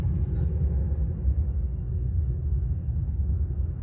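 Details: PT6 turboprop engine on a test stand at idle, power lever at idle with pressures and temperatures stabilized. Steady, even low rumble with a faint thin high tone and no surging or hunting; running normally.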